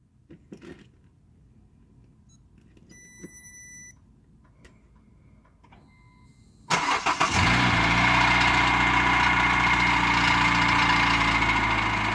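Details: Cold start at 2°C: chime, crank and catch, then cold idle with a light, rapid, even knock about four times a second; piston slap suspected, not confirmed.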